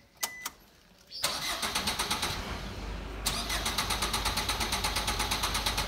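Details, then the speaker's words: Car cranking but not starting: two short cranking bursts at roughly three beats a second with no firing, starter spins but engine won't catch; cause was a loose battery wire, car started after it was fixed. "इनू यदी जी बैटरी वाली तार सी लूज सी हम आप फिक्स करती है तो गड्डी जी हम बिल्कुल ठीक है स्टार्ट हो चुकी है।"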